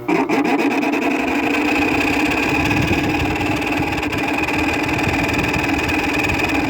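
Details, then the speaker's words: 2000s Whirlpool 6000 BTU air conditioner, neglected two years outdoors: loud constant whirring with dry rasping grind underneath, later fading; worn fan motor bearings. Fan motor bearing noise. "i guess i'll let it run see if it goes away and it just did that's actually quite a typical nice bearing noise"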